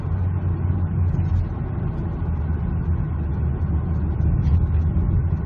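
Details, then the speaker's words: Mazda CX9 (2008 per description, 2011 in speech), about 108,000 miles, in sixth gear climbing a hill under light load at low rpm (usually 1200–1500): a low uneven rumble under the cruise drone. Torque converter shudder at lockup, before additive fix. "we're climbing that hill now we're in six gear and it's doing it is that rumbling sound doing it very low and then you see as soon as soon as the torque convert let's go and doing it"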